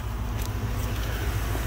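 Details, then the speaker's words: 1970 Mustang Mach 1 V8 (non-original engine) after new spark plugs, power steering belt and air filter: deep, even idle burble, no knocks, misses or belt squeal; running smooth and quiet, big improvement. "so let's go over here it's actually running pretty smooth nice and quiet way big difference"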